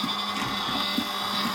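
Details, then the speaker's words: Vacuum solder station pump, heard after repair work on an SG-235 Smart Tuner: steady buzzing hum with a rhythmic pulsing flutter about twice a second. Sounds weird, a suspected new problem; cause unknown. "that sounds weird okay we may have another problem here"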